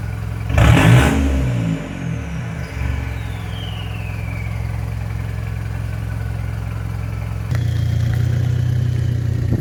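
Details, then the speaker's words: Mitsubishi Triton MN diesel with new 3-inch exhaust, high-flow cat, no resonator: steady deep idle, quick blips up to about 2000 rpm, even hold; more controlled, less raspy note than before, no rattle; normal. "I don't think it's going to be loud or anything like that, but it definitely sounds like it's got more of a controlled note."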